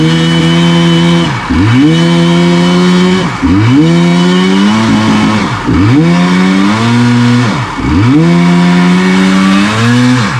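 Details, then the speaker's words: 1994 Kawasaki 750SX two-stroke jet ski, about 30 years old, ridden at full throttle: revs climb, sag and flare repeatedly, bogging then revving high. Rider suspects a gas issue from old gas/oil mix; tank likely to be emptied. "I I had it full throttle and it would bog a little bit and then rev real high and uh I think it's just a gas issue"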